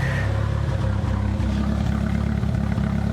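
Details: Nissan 200SX turbo at idle during turbo investigation; lumpy idle with irregular chuff and stumble every few beats, a random misfire. Fuel pressure doubted as cause; cause unconfirmed.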